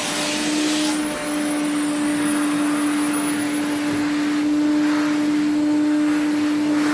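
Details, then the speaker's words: 1980s Electrolux 350E cylinder vacuum, restored but with a poor motor: steady motor roar with a thin, constant high whistle on top, attributed to two parts on the machine; air leak suspected, not confirmed; washing machine running in background. "you can hear the whistling that's these two"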